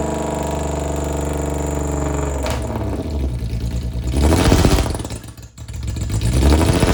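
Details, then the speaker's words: Cheap Jaguar with suspected failing transmission and welded diff, attempting a burnout: engine revs swell and fall back in short bursts but never climb freely, as if capped; dash showed engine failsafe mode limiting power. "The Jaguar was displaying engine failsafe mode. So pretty much it was stopping me from being me."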